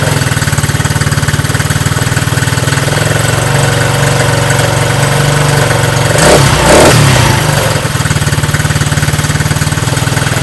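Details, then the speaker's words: Coleman Scrambler 125cc Chinese ATV, previously a no-start (had spark, fired on starting fluid), after new carburetor, new battery and drained old fuel: small single idles steadily and evenly, one brief throttle blip, settles back; starts and runs fine. "put a new battery in it starts up and runs fine"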